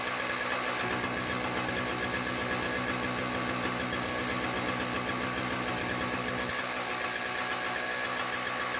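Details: Toro CCR2000 single-stage snowblower, 4.5 hp Suzuki two-stroke with Mikuni carb, after carb cleaning, primed with choke open: fires quickly and settles into a steady, even buzzing run with no misfires or surging; healthy.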